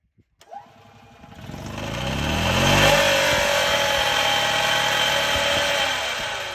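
Engine catches and climbs in revs, then a harsh, gritty grinding hangs over the running engine and holds steady as it settles. Cause suspected, not confirmed.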